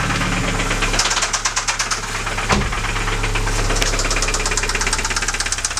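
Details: Alfa Romeo 156: loud metallic ringing knock appeared while cruising at 120 km/h in 5th gear; towed, idling in garage, sharp uneven ticking about three per second, louder in reality than recorded; owner doubts cam phaser, cause not found.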